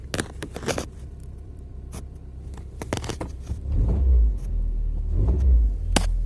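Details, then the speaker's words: Geely CK-3 in-cabin recording: deep droning hum with body vibration, swelling as revs rise; the front engine mount is suspected to have sagged and to be touching the body. "вот такой гул стоит только салоне сейчас мы будем пробовать как от этого избавиться"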